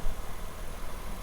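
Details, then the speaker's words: 2006 Nissan X-Trail T30 2.2 dCi diesel, cold start: raised, uneven idle up to 1,500 rpm with a lumpy low drone and smoke; cause suspected, not confirmed. "you see it eventually starts needles actually keep doing a bit when you start if it cooled it's up to 1,500 rpm so you can see it's rough"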